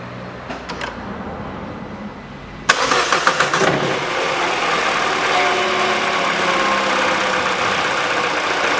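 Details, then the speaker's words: Peugeot 408 2012, 1.6 petrol, automatic, FWD, 87,000 km: after replacing the stretched accessory drive belt (DAYCO 6PK900), the engine starts after a short crank and settles to a steady idle with no knock, rattle or belt chatter, where the old belt had made the noise. "никакого стука чудеса да и только растянутый ремень давал грохот"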